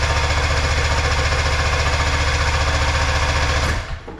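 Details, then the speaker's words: Arctic Cat Puma Deluxe 340 snowmobile two-stroke after about 10 years sitting, cranking with choke: fast steady chuffing three to four beats a second then dying; weakest pulse of fuel from pump, weak fuel pump delivery suspected. "Getting like the weakest pulse of fuel out of that pump. Just trying to push fuel through the system and give it a little prime."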